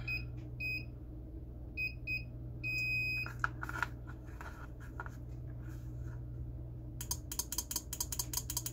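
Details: Acorn stairlift, bench-testing what the owner thinks is a 24 volt relay suspected bad: a few short beeps, then a quick run of crisp, clean clicks as the relay pulls in; it tests good and switches fine.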